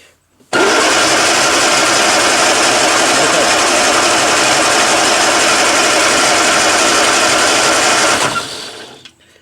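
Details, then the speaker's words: 1962 Austin-Healey Sprite Mk2, 948 cc engine, unrun for over 40 years and possibly not turned over in that time, with a little fuel in the float bowls: about eight seconds of steady, even starter cranking without firing while checking for spark. Spark is confirmed; cranking sounds normal. "Okay, we got spark. That's amazing. Okay, so we have we have spark. We need spark, fuel, air, right? And then it's got to turn over."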